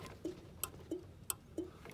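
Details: 1962 Land Rover Series 2A 109 diesel, Bussman 550 turn-signal relay with Tex-Magna switch, ignition on, left indicator on: crisp even clicks about three per second, steady and regular; normal flasher relay clicking.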